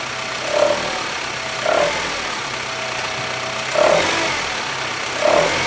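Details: 2008 Honda Civic FD, R18 1.8 engine, at idle with the handbrake engaged: a short squawking chirp every one to two seconds at uneven gaps; attributed to worn-out tensioners and engine mounts.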